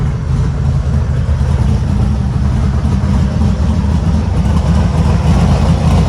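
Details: 1972 VW Super Beetle air-cooled flat-four restarting after a trickle-charged battery and a run, no pedal pumping needed: deep, steady, even idle with no knocks or misses; healthy idle.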